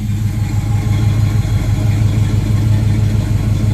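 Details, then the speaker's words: 1976 Camaro with a rebuilt Holley 4-barrel carburetor and electric choke, idling after warming up once the high choke idle drops: smooth, even low rumble with a steady firing beat, no knocks or surging; normal warm idle. "that sounds nice see now that sounds nicer"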